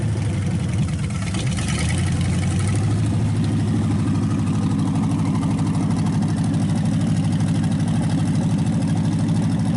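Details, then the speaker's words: Packard 374 cu in V8 after oil overfilled into the carburetor and intake was drained and replaced, warm. Even, low burble at steady idle; it has quit skipping and runs on all eight cylinders, though still smoking. "It's running good now. It actually quit skipping. It's running on all 8 cylinders."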